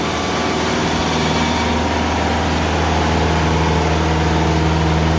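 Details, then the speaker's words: Sawmill engine drones steadily under a harsh, ragged cutting roar as an old bandsaw blade, which has hit something before, makes a very slow cut through huge, very hard American beech slabs; sounds like it is about to blow, yet cut quality stays fine. "well folks i am like shocked literally shocked i thought i was gonna have a blade blow up that sounded again absolutely horrible"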